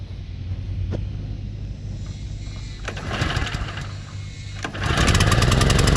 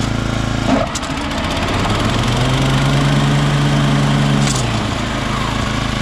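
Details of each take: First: Toro Turfmaster mower running with blades engaged: rough knocking from the deck about four times a second; blades checked fine, idler or belt suspected; typical of a stretched, slapping deck belt. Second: Toro Turfmaster after deck belt replaced with a half-inch stretchy rubber belt: engine runs steady and even with blades engaged, no knocking or slapping; deck drive sounds sound.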